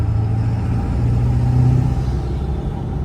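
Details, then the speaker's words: 7.3 Powerstroke diesel truck accelerating hard in third gear from low rpm after fitting a KC 300X Gen 3 stage 1 turbo, Riffraff up-pipe kit, deleted pedestal and boost fooler: deep rumble pulling strongly without hesitation, turbo coming in early and cleanly; normal spool. "So, the turbo used to spool around eh,300ish RPMs. So, let's keep it there in let's keep it below that in third gear and then I'll just get on it"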